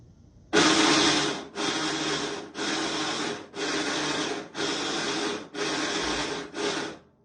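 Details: Washing machine making noise while washing: harsh grinding, rasping bursts about once a second, pointing to a broken agitator cam kit.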